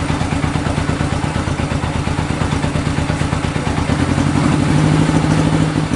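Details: 1965 Honda CB77 Super Hawk 305 twin, sat 20 years, running on the lift after a carb clean and fresh fuel, with no air filters, so slightly lean. Chuffing, slightly uneven beat that firms up and rises near the end. Normal idle.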